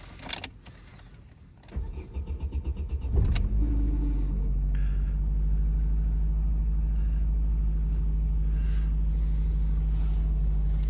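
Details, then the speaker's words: Opel Astra G sedan, 2009, swapped 1.6 engine (X16XEL per title), would not start after the battery ran down, after a full ECU reset: brief crank, clean catch, settling to a smooth normal idle with no errors. "треба перевірити холости і у неї а ні нормально зараз попуститься холостий в неї нормальний і помилок немає"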